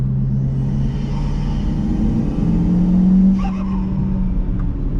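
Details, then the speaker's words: Chevy Cruze with a big turbo, driving after a blow-off valve kit replaced the diverter valve that caused a high-pitched flutter: smooth engine rumble rising and easing with throttle, a clean turbo note, no whistle or screech. The turbo system sounds healthy. "actually sounds really good now wow I think if I just figure out the spring it'll be pretty much perfect"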